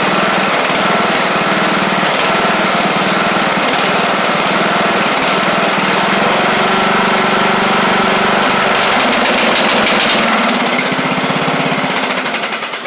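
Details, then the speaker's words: Craftsman LT1000 mower with Briggs Intek engine, after head work: held at higher speed with an uneven, slightly burbling beat before winding down, sounding rich. A bad carb or mixture screw out too far is suspected; unconfirmed. "we all heard it it ran okay until you got it up to the higher speeds and then it sound like it was running rich really rich"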